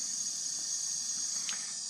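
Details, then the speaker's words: Old Maytag natural-gas dryer (model CDG46, 18,000 BTU), after replacing the high-limit switch for a low-heat problem, gas turned back on and the thermocouple-held pilot lit: soft, steady gas hiss with no popping or flutter; pilot burning evenly. "so I'm going turn the gas back on all right you can hear the gas running all right I'll turn the light off so you can see it running"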